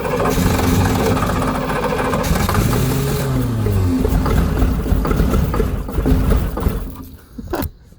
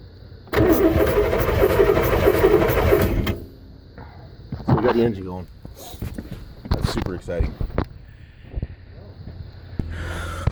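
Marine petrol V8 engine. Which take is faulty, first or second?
first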